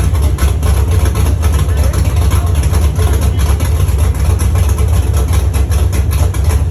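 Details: First start of a Chevy truck's cammed 5.3 V8 (Texas Speed 232/234 cam, 110 LSA) after a build and after fixing wiring ground issues: deep, uneven idle lope over a heavy bass rumble, rough only from the cam; sounds healthy.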